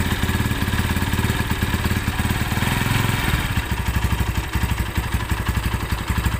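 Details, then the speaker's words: Tiger Evo motorcycle, idle at 1000 rpm then throttle opened: harsh uneven clattering rattle, getting louder when clutch is pulled, knocking from the clutch-cover area; engine stutters on throttle: worn clutch housing rattle. "Oke ee di sini suara e koplingnya bukannya adem kalau di kopling malah makin kakak gitu kemudian dari area silinder kopnya ini terdengar suara keletak"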